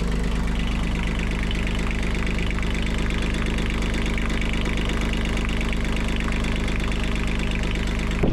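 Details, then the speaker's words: Catalina 30 sailboat diesel that had been under water, first running after revival: even, steady clatter with a constant low throb and no misses, knocks or hunting; sounds healthy, belt shows slight movement. "Everything's reasonably balanced and sounds fairly nice for an engine that was underneath the water."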